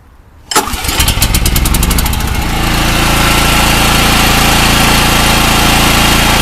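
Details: Small gasoline generator engine pull-starts, catches and settles into a steady even run with no surging, after PRI fuel stabilizer added and halfway-fouled original spark plug refitted with anti-seize.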